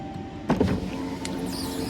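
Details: 2009–2018 4th-generation Ram truck whose power window master switch seemed to have snapped internally so the window would not go back up. A click, then a steady, smooth whir as the window motor runs the glass; the motor itself sounds healthy.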